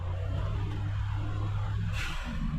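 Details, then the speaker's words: Suzuki Alto Works HA11S, 3-speed auto, full throttle up a hill: deep steady engine drone under boost (about 1.1 bar, owner suspects modified), then a sharp airy hiss as throttle lifts, a healthy turbo blow-off valve venting. "I'm gonna romp it up the hill across the street here. Foot to the floor. Ah, there's a blow-off valve."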